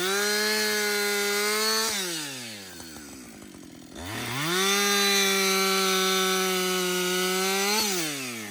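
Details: Husqvarna 562XP chainsaw, reflashed at the shop after dying when hot and stumbling. Making repeated cuts with the saw hot after its longest continuous run: steady high two-stroke scream holds through the cut, drops to idle and picks back up cleanly. Normal running under load.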